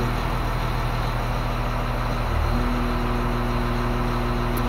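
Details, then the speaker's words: Grader diesel with axial piston hydraulic pump, pressure compensator set at 3375 psi, function stalled: even engine beat with a faint hydraulic hum, engine barely loaded as the pump de-strokes at high pressure; normal. "the engine's barely working we're at very high pressure but because the pump is fully de-stroking with the pressure limiting compensator i don't hear the engine under much load at all"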